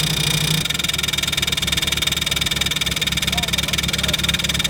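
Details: MK1 Mini Moke, engine seized from sitting and freed with a wrench on the crank, first start: an even chugging idle at about four beats a second with a steady rhythm and no knocks or misses; normal running.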